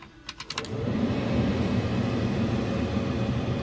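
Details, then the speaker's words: Cummins truck heater/AC blower after the air passages were cleaned out and the blower motor and blower resistor reinstalled: a few clicks, then a strong, even rush of air with no rattle or whine; normal blower airflow, works like factory. "at that wind now seems to work completely fine everything works"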